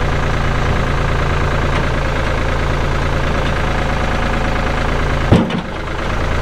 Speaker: good like I said AC is blowing cold Hydraulics are strong engine sounds good